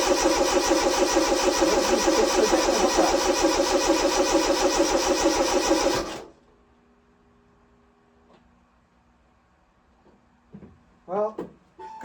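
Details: Car on a lift with a questionably rebuilt engine, first start attempt: about six seconds of even cranking at roughly three turns a second, stops without catching; suspected no power at the fuel pump, coil wiring questioned.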